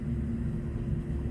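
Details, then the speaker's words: New Taco 007-F5 hot-water circulator pump on a snowmelt system, switched on via an SR 506 zone relay after replacement: quiet, steady low hum with no rattle, grinding or surging; normal running. "i'm sure you can hear that i don't know if you can but i can because it's running it's running baby"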